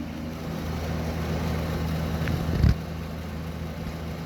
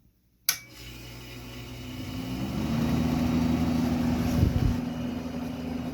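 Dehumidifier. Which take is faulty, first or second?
second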